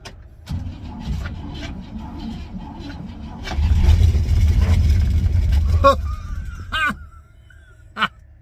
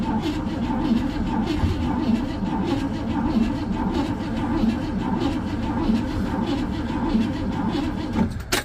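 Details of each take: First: 1957 Pontiac Star Chief V8, sat an estimated five to ten years in central Florida, second try after extra fuel poured in: cranks briefly, then catches and fires into a lumpy low rumble before dropping off; first start after long storage. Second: 1957 Pontiac Star Chief, sat for years in central Florida: steady cranking churn with a couple of brief stumbles that almost catch, but it never runs on its own; crank no start, cause not yet checked, spark plugs to be pulled next.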